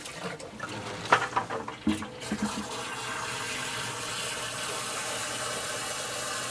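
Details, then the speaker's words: Sump pump tested by lifting the float by hand: a splash of poured water, then a steady rushing flow and jolt through the discharge pipe as the pump empties the pit, working normally. "you should hear water surge through this pipe here you'll hear a jolt and water will go out and for you as the audience that's how you know that water is escaping the pit"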